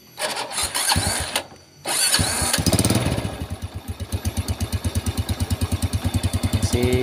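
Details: Yamaha Vega RR, which stalls on downhill runs, after engine reassembly: slow, heavy starter thumps that gradually speed up as the engine labours; hard cranking, thick oil suspected, combustion chamber to be cleaned.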